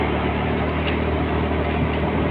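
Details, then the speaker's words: Honda Scoopy CVT after repair, riding at 30–50 km/h with a steady, smooth drone. Before the fix it lost power and made a rud-rud stutter at 30–40 km/h; now it pulls with no judder. "Ini terasa nyaman, tidak ada suara tersendat seperti sebelumnya."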